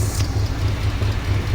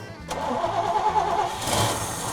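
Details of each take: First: 1968 GMC truck V8, sat 30+ years, just restarted with a few gas leaks: deep, steady low rumble with an even pulsing beat and no knocks or ticks, sounds really good. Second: 1968 GMC truck that sat for 30+ years, first start in years: starter churns at about three and a half beats a second through long cranking, then it catches and settles into a steady, rising idle.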